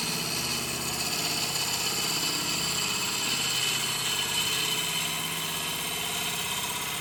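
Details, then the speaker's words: Lathe turning a punky spalted wood wide-rim bowl after switching to the smaller chuck with the same wood screw: hissing, scraping cut with uneven chatter about four times a second, less pronounced than before; an equipment malfunction causes knocking. "Now, admittedly, on the first couple of passes, it did sound better. You could still hear the chatter, but it wasn't nearly as pronounced."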